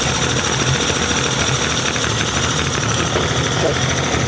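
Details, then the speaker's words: Rebuilt Yamaha 75hp two-stroke outboard uprated to 90hp, idling at about 900 rpm out of gear after the mixture screw was richened in quarter turns to stop sneezing: steady even buzz with no stumbles or sneezes; mixture now right and running happily. "sounds quite happy to me now. So when you know you've gone out rich enough, the engine will stop sneezing."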